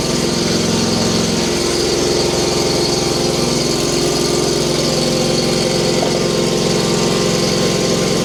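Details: Frozen Hustler Trimstar mower on a freezing December morning, started by heating the engine instead of more starting fluid; steady, even engine beat at constant speed, no misses or knocks: normal running.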